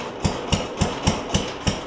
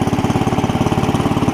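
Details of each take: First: Cub Cadet 70 garden tractor, engine running while trying to engage the mower deck PTO clutch: rapid, regular metallic knocking about four a second, pause, second bout; PTO clutch not engaging, owner suspects stuck clutch or wrong adjustment. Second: Cub Cadet 70 garden tractor after drive repair, engaging first gear, clutch grabs and drives: small single-cylinder engine thumps steadily at a fast idle, about fourteen beats a second, no misses or knocks; normal running.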